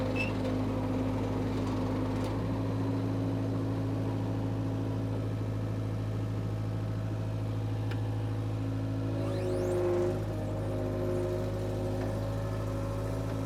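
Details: Power Trac 1850 diesel tractor/mower, just revived after all fluids were changed, with the mower hooked up: a steady, low diesel drone with an even beat and no knocks or misses. The tractor is running healthy.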